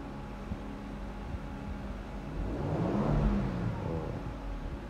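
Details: 2024 Toyota Land Cruiser twin-turbo (bank 1, bank 2), after overboost repair involving the turbo actuator: steady low idle rumble, smooth swell on throttle blip and settle back, no flutter or surging; boost normal.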